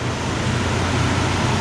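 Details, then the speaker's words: Big classic car with a carbureted engine, no fuel injection, started by pumping the gas pedal after sitting a while; deep, even rumble at a settled idle with no knocks or misfires. Sounds nice and healthy. "listen to that this ain't the kind of car you just turn the key you got to pump the gas pedal but it sounds nice and healthy"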